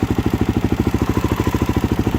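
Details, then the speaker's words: 2013 Suzuki DRZ400SM single-cylinder, first start after coolant flush and new fluids; even idle thumping with light metallic clatter; owner hears rattling, suspects cam chain adjustment, possibly too tight. "I have to adjust my cam chain. I don't know if I have it too tight, but I still hear it rattling."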